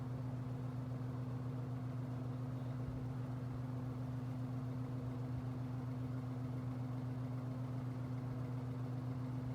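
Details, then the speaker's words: 1960s GE third-generation 22-inch three-speed box fan on low speed, first run in a month: steady even low hum, no knocking or wobble; runs smoothly, cage may rattle slightly. "we'll start on low speed this thing is definitely a powerhouse even though it's still catching up i could really feel the air"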